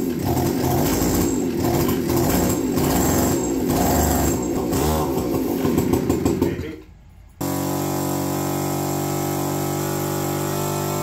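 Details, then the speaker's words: APC mini chopper with the original carb refitted and its needle rocker modified: a busy rattle, a brief dip, then a crisp, steady, even run. Peppier than with the new carb. Normal running. "well not only has the original car broken up it's uh definitely a little peppier than the new one very interesting"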